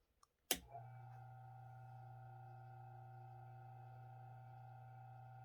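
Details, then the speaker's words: ILG Industries Model 83 8-inch panel mount exhaust fan, 4-pole 1550 RPM 115 V motor, after adding fiber washers to limit end play, run without blade: after a click, clean steady hum, no rattle; smooth and quiet. "seems to be running nice and smooth"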